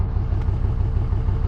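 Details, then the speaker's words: 24V Cummins diesel idling around 300 rpm, still off spec: very low, lumpy uneven idle throb, less shaky than the day before, no smoke. "still sounds different right now but at the same time it's like it's not idling it's anywhere near as bad as it was yesterday it's not shaky like it was"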